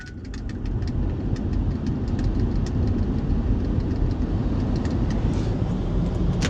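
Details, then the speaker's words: 2002 Ford Excursion 7.3 Powerstroke diesel after replacing A/C compressor, accumulator and orifice tube, recharging with engine running, A/C on max, cold outside: steady idle clatter, no compressor squeal, grinding or knock; A/C working great. "All right. Oh yeah, it's working great. Granted, it's cold outside, but see what it's"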